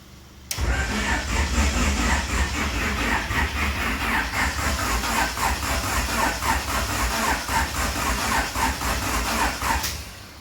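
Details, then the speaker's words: JDM F20B-swapped EG Honda Civic coupe dirt-track car cranking with no fuel from a bad fuel pump and tank, though power reaches the pump; starter spins evenly about four per second, never fires. "she spins over but like i said we don't have any fuel so it's not going to start so that's unfortunate"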